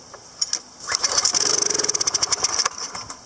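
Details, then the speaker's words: PowerFlow Technology+ 3000 psi pressure washer, Briggs & Stratton 190 cc engine, unused over a year, suspected dried ethanol gas, with carburetor cleaner sprayed in: catches about two seconds in sharp pops, then stutters and dies; bowl screw jet later found clogged, choke occasionally sticking. "I think we got something stuck in there and notice this choke seems to be sticking every once in a while too"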